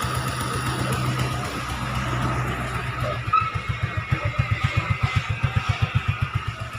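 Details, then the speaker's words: Suzuki Gixxer 150 single idling after cylinder head replacement (stripped rocker arm bolt thread), kick-started: soft even pulse, quiet, no knock or tick, faint puff from an exhaust leak at the exhaust stud; normal idle. "So, mandar na siya. So, tahimik siya. So, mga ganitong motor kasi tahimik na rin. Tahimik naman to eh."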